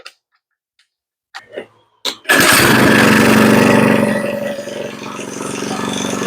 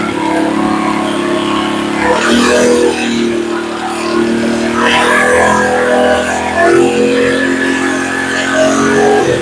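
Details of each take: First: Earthquake Versa tiller, sat a year, just fitted with a new carburetor: small engine runs fast then sags and climbs back unevenly, cycling up and down; idle set below spec so the governor hunts. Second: Earthquake Versa tiller that sat a year, after new carburetor fitted: idle raised to correct setting, governor stops hunting up and down; steady idle with occasional handling noise, normal.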